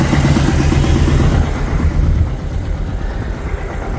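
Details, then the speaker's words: 2000 Chevy S10 first start after sitting, service engine soon light on: heavy lumpy idle, uneven thump about three beats a second, stumbling rhythm with engine jumping; misfire, later found with good compression and poor-looking plugs. "so we got a bad Miss that's about it let's go check it out real quick oh look at good bad miss making it jump jump jump holy"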